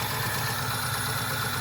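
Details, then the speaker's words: Petrol engine idling very roughly with a fast, uneven stumble in the exhaust beat; still misfiring after work, with a knock the crew suspects is a lifter rather than rod knock, cause unconfirmed. "Son of a bitch! That thing's still misfiring. For sure."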